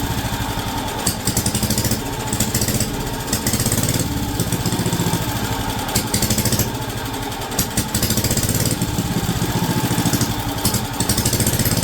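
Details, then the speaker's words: Wisconsin AB single-cylinder engine on a WW2 military Signal Corps generator, first run in about 70 years: strong, regular chuffing held steady by the working governor, with no clunks or knocks; running well. "that sounds amazing no clunking no weird stuff going on it is running fantastic"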